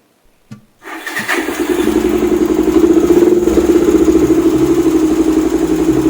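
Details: Suzuki Thunder 250 after repair of a no-start (burnt stator-to-regulator wire, bad battery, corroded wiring; plug and stator wire sorted): starter catches quickly, settles into an even idle about four pulses a second, no misses or knocks; healthy start.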